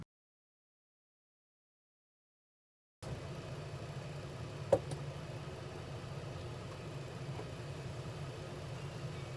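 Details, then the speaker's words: 1989 Ford Mustang GT Fox body V8 after tune-up with new spark plugs, just started: steady even idle with smooth low lope, no misses; runs and idles better, oil vapour cooking off headers. "Seems to be running a lot better just from all that. And this thing sounds good. It definitely runs and idles better."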